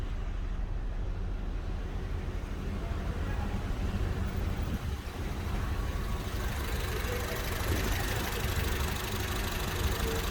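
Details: 2014 Honda Accord 2.0 petrol engine idling with a dull, rapid knock from pistons 1 and 4, caused by oil not changed on time so the pistons got too little oil from the pump; later fixed.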